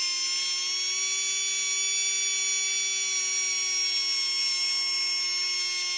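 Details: Tamiya Dynatech 01R RC motor on manual speed controller, timing adjusted from zero degrees: steady high-pitched whine holding nearly the same pitch; speed barely changes with timing.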